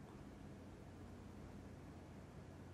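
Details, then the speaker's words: PS4 Pro after opening, cleaning and new thermal paste, previously jet-engine loud: on first test only a faint, even airflow hiss with no rattle or whine, possibly just the hard drive; the fan is now quiet. "silent. I think maybe just hearing the hard drive."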